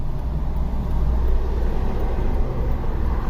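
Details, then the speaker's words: 2003 Honda Civic 1.7L with intermittent power loss and no codes, under load at about 50% throttle: a heavy, muffled, choked drone that never opens up, with few misfires. This points to a restricted exhaust, and in-cylinder pressure testing follows. "We don't really have any misfires. There's like some counting, but not much, so I ain't worried about that. Sounds like a restricted exhaust."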